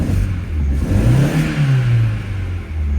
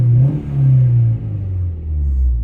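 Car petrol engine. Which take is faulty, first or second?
first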